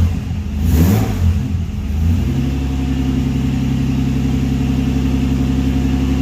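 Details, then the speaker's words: Nissan Patrol GQ with RB30 engine swap, just started cold on a cold day: quick rev blip then smooth, even idle with steady low drone and no knocks or rattles; running healthy. "But it's running. There we go, idling away there now. Still running good."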